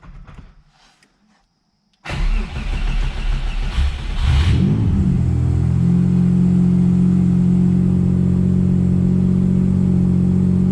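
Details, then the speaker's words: Subaru Impreza with EG33 engine after correcting wiring that had been wired wrong: cranks, catches and settles into an even, smooth idle with no stumble, same AFR, now fixed, normal idle. "oh that sounds so much better exact same AFR the exact same oh my gosh I fixed my car holy cow"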